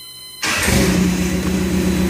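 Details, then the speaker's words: 1978 Toyota Hilux with swapped 22R engine, double-row timing chain, new welded muffler, carburetor barely touched: starts on a quarter crank, catching cleanly into a steady throaty run; healthy quick start. "starts on about a quarter of a crank don't even take a whole crank"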